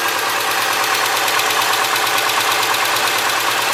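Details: 2003 Subaru Forester, 178k miles, ~150 miles after head repair for dropped valve guide, cold start idle with crisp ticking about three per second from driver side; exhaust valve clearance .029 instead of about .010 on driver-side front cylinder, adjusted and fixed.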